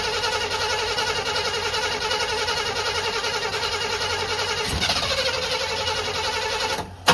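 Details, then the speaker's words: 1985 Chevy C20 that sat outside for over 10 years, with fuel poured in to start it. A steady, fast, even starter whirr with no firing or catch: it cranks but won't start. The owner later concludes it is flooded. "Well, it cranked, so I think either I'm out of fuel, because I ain't pouring enough. That can't be the case. I'm definitely pouring enough."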